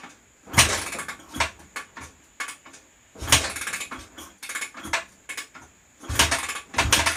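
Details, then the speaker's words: 2004 Honda CRF250R before valve adjustment, about 84% leakdown through the intake: repeated kick-start strokes thump and clatter but it never fires; hard starting because tight, out-of-spec valves hold open and lose compression. "is caused by these valves getting out of spec and staying open a little bit and losing all your compression out of the valve."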